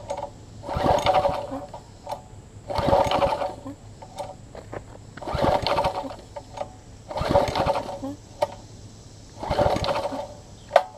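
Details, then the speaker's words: Troy-Bilt Tuffy rear-tine tiller after reassembly, with a new, non-exact-fit fuel pump diaphragm replacing a cracked one. Five pull-starts about two seconds apart, each a brief sputter that dies at once. Owner suspects the fuel pickup. Starts but won't keep running. "but now I know it's bringing gas up it's just not it's just my holding it for some reason so here we go"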